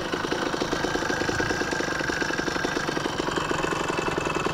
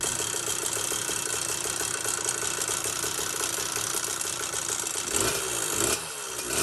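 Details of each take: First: Phantom 85cc two-stroke motorized bicycle engine, after replacing the failed stock piston pin bushing. It is not fully broken in, its mix may be running a little hot, and it has a slight gasket leak. It ticks over at a steady, even putter with no rattle or knock; a healthy idle after a run at about 42 mph. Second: Phantom 85cc two-stroke motorized bicycle engine: buzzing run with fast, light metallic rattle on each firing; stock piston pin bushing coating disintegrating, fixed with replacement aluminum-bronze 12mm bushing.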